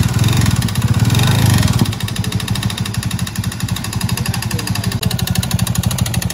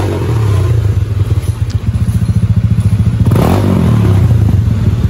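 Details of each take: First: Honda Beat Deluxe scooter arriving for a 140 cc BRT bore-up idles loud and coarse, with a rattling, clattering knock; the cylinder liner is loose, and oil is leaking out with the CVT wet inside. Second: Honda Beat Deluxe scooter engine after a 140 cc BRT bore-up with a new original front seal, first start test before TPS calibration: even, steady single-cylinder thump at idle with no drumming or knock, running cleanly.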